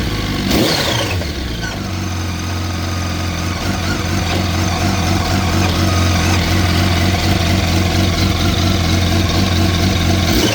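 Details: 2004 Yamaha R1 at idle: a rattly, uneven tick at about three to four per second, possibly from the cam chain area; the owner asks whether the cam chain tensioner is to blame, unconfirmed.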